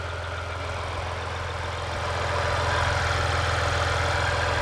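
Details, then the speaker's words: 2020 Ram 1500 EcoDiesel just after installing an intake kit at the turbo inlet: steady, even diesel clatter at idle with no hiss or whistle from the intake side; sounds healthy and sealed, no leaks. "Well, I don't hear any leaks, so that's good."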